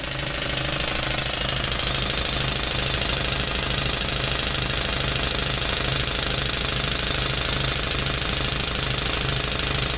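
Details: Old Speedaire air compressor after motor bearing replacement, running with loud even pumping chatter and constant motor hum, no knocks or squeals; normal.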